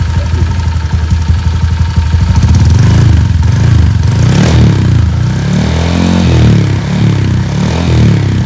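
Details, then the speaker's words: Honda Vario old 4-valve scooter, stroke-up engine, about 8 months since the stroke-up, R9 Alpha header with R9 Mubilu silencer: deep, even idle burble with steady low pulses, no knocks or rattles. Normal idle. "Ini masih dingin, jadi dia agak perlu digas dikit. Nah, kalau udah hangat enggak. Nah, jadi so far mesinnya masih oke."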